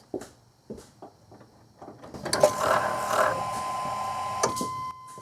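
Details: Chevy/GMC 5.7L Vortec truck at key-on after fuel pump repair: a few light clicks, then a steady even buzz for about two seconds that cuts off cleanly. The pump primes normally and fuel pressure now holds, having earlier bled into the 20s, causing a cold start problem.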